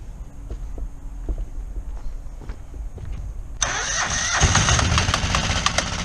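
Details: Kohler 725cc V-twin surface-drive mud motor that threw a cylinder-one connecting rod in 2012, run with a makeshift key: light ticking while cranking, then loud, ragged, lumpy running on its single working cylinder.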